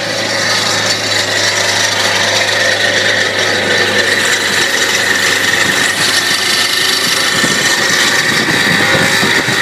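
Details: 1991 Ford F-150 4.9 running with a harsh rasping rub from the alternator area; the alternator pulley was coming off, causing the noise and a voltage drop.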